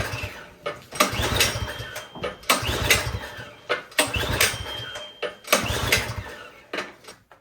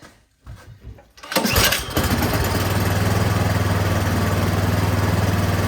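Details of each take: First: Troy-Bilt snowblower with gas and oil present, choke on and primer pressed: several recoil pulls about 1.5 seconds apart, the engine turns over but never catches. Spark was confirmed good. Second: Troy-Bilt snowblower that would not start, only a few hours on it, with the prime line reconnected, primed and slightly choked: a few cranking pulls, then it catches and settles into a steady, even low putter; normal running.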